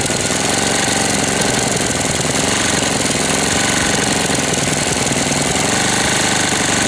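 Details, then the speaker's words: 1998 Briggs & Stratton 60 (6 hp) Intek Edge restarted after long storage, oil changed, hoses and leaks fixed, not warm: rapid dense hammering clatter at constant speed; knocking badly, sounds about to seize though oil is at level, cause undetermined. "Bizarre le bruit qu'il fait. On dirait qu'il va serrer. Pourtant, il y a de l'huile hein dedans au niveau."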